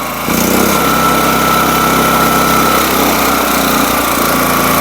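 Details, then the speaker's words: SuperSplit kinetic wood splitter small engine at maximum RPM: loud even high-pitched drone at steady speed, no misses or knocks; normal full-throttle running. "I should turn the RPM up a little bit this is what Max sounds"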